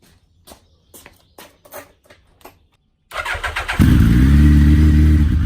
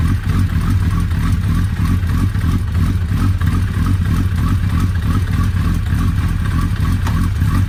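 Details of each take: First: Suzuki Hayabusa turning its rear wheel in gear while the chain was lubed, giving steady metallic ticking and a heavy knock before stalling; the cause was a loosened clutch pressure-plate bolt. Loose clutch pressure plate bolt. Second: Suzuki Hayabusa after repair of a loose clutch pressure-plate screw that freed a spring, on first start after reassembly: steady, even engine note with a smooth low drone, no knocks or clatter, and no leaks. Normal running.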